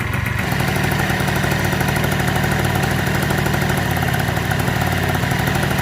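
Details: 1987 Honda Elite 50S, AF05E two-stroke, just after a Malossi 65 cc big bore install, idling around 1,800 rpm: even, buzzy, slightly fast idle with no stumbling or rattles; runs healthy.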